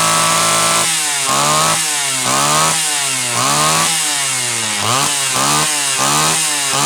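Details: Homelite Super XL chainsaw (brought in for boiling fuel and overheating) on test run after starter spring fix and replacing a bad new spark plug; repeated idle-to-high blips, crisp pickup, steady top end; high side set slightly rich on purpose to warm it up; running properly.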